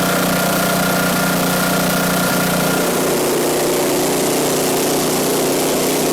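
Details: Ariens 5hp snowblower, model 932006, found cheap and revived: small single-cylinder engine running steady and even with no misses or knocks; sounds healthy.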